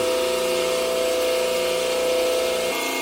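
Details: Delta 28-560 16" bandsaw, first start-up after new tires and belt, blade at maximum tension: steady hum with a clear constant tone, no knocking or scraping, pitch falling at shutdown; running normally.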